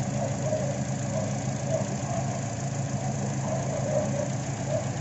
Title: TOYOTA ALTIS, ISSUE ROUGH IDLE AND ACCERELATION. IGN. COIL PACK PROBLEM, PLS. WATCH THE VIDEO.